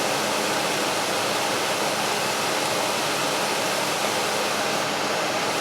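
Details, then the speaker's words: Frigidaire air conditioner restarted after a simulated power failure, fan only with the compressor not yet on; smooth constant air rush, no rattle, scrape or wobble: normal fan running. "And I want y'all to hear the fan on this. So stay tuned for about 1.5 minutes."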